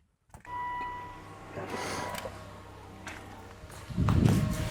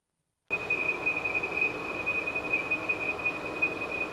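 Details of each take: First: 2013 Volvo XC90 3.2L idling after PCV valve oil trap cover replacement: smooth, even low idle hum, no high-pitched whistle and no whoosh at the dipstick; normal idle, repair successful. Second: 2013 Volvo XC90 3.2L at idle: steady piercing high-pitched whistle near 2.5 kHz over soft engine idle from a failed PCV valve oil trap cover.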